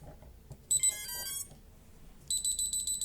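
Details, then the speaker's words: Rapid bursts of short shrill beeps, about three a second, from an STM32 drone flight controller at boot with the throttle stick up; safety warning, boot halted until throttle is lowered fully. "It's repeating high-frequency beeps like this, and it's not going to the next step."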